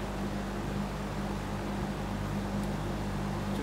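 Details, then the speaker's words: Monarch 20-inch box fan after reassembly and oiling, with the variable speed switch failing once the fan warms up even slightly: steady low hum with a faint drone that never rises or falls. The speed control is not changing motor speed. "it doesn't seem to be working properly now that we've got it back together and oiled up the speed isn't changing at all"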